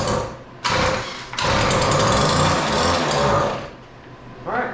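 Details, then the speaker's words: Weed Eater PE550 two-cycle edger that would not run, on starting spray, switch on, choke off, full throttle: coughs into a few rough bursts then dies, like fuel starvation; compression and spark timing confirmed, fuel lines very hard, lines need replacing. "Um I've looked it over a little bit already and like most of these the fuel lines are really really hard. So we definitely got to put some fuel lines on it."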